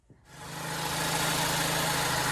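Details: 2018 Ford EcoSport starting and settling into steady, even idle with smooth low hum and no ticking, puffing or rasp after replacing a broken exhaust flex pipe; exhaust leak fixed.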